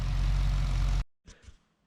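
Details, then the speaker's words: Holden VE SS Ute cammed V8, sounding different from the L98: deep steady idle with even low rumble, then clean shutdown; normal idle. "rattling around like nobody's business. The neighbours love it. But she sounds a bit different to the L98."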